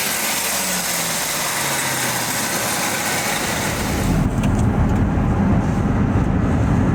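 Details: Ford SVT Lightning (2001+) under acceleration with a used, hand-ported 1999-2000 Eaton supercharger replacing a failed, noisy rebuilt Jokerz Eaton: faint rising blower whine, no rattle or grinding; at most the slightest noise, far better than before.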